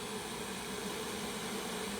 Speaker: So as the foodie is coming up to pressure, you'll hear that thing popping and creaking as the pressure builds. Nothing to really worry about as long as you got the lid lined up and locked in. And you'll see more and more steam coming out of that red button.